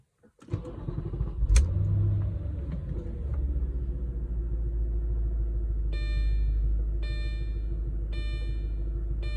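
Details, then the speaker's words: 9k-mile 2004 S4 warm start after being driven up to operating temperature: quick crank, clean catch, then a steady, deep, even idle with a door chime pinging. The fan is silent now and is only noisy on cold starts. Normal warm start. "You don't hear the fan at all. It's really only pretty noisy on cold starts."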